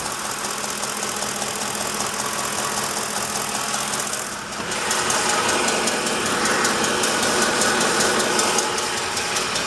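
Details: Ford F150 5.4L 3V Triton: a steady tick about two and a half times a second rides over the idle. It was a misfire, fixed by replacing two or three coil packs and a couple of spark plugs; the ticking was gone afterwards.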